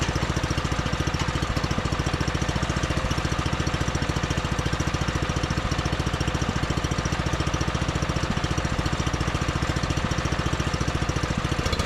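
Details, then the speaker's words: John Deere 110 mower that sat in a garage about 10 years, started after longer cranking once a jumper start failed: steady, even single-cylinder beat around three and a half pops a second, no misses or knocks; runs smoothly, normal running. "So, I guess I just didn't crank it over for long enough. Then thing is turning like a kitten."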